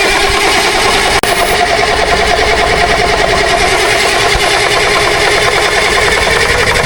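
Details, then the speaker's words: 1962 Kenworth W925, Cummins Big Cam diesel, sat 18 years, third crank attempt after manually opening fuel to the shutoff solenoid. A steady fast crank that never fires. The return line is dry and it isn't pulling fuel; the line is suspected of pulling air. "We're going to take this return line off here and see if it's returning any fuel. Dry as butter. Let's see if it pulled this filter dry. No, it ain't pulling fuel."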